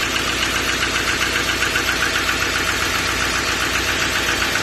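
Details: 2014 Duramax 6.6 diesel at idle: sharp, fairly even ticking knock about 2.5 per second over clattery diesel idle; internal engine knock.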